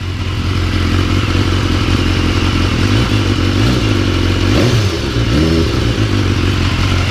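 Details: BMW S1000R at startup after a manual cam chain tensioner was fitted: even idle with quick throttle blips, no chain slap or rattle, top end quiet; earlier startup noise blamed on a slightly loose chain.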